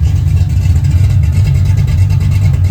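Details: 1980 Camaro Z28 with freshly rebuilt big-block Chevy (Patriot heads, 1.8 rockers, Howard's hydraulic roller cam 601/612 lift), first start: deep, even, steady V8 lope with no knocks or misses; runs and sounds good, possibly a little rich.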